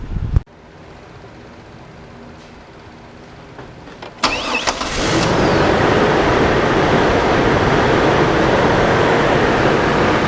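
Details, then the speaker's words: 2002 GMC Envoy started cold after water pump and thermostat replacement for overheating: the engine settles into an even idle with a steady clutch-fan roar and no knocks or squeals. The clutch fan works and the temperature holds about 190–200. "clutch fan is working good everything sounds good"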